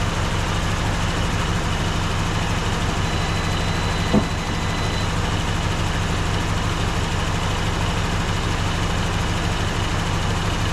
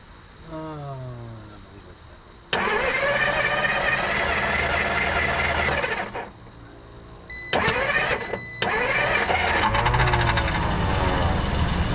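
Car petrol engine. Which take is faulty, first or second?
second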